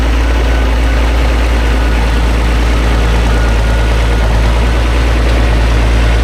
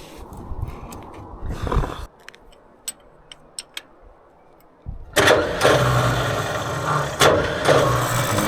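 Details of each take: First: Vintage TD9 bulldozer diesel after shimming the starter to fix a spinning, non-engaging starter: steady deep rumble at an even idle with no knocks or misses, healthy settled idle. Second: Vintage TD9 bulldozer starter, battery fully charged, pinion teeth worn and freshly greased: quick click, then a high free-spinning whir with no cranking. Pinion not engaging the flywheel; owner suspects the one-way bearing is slipping.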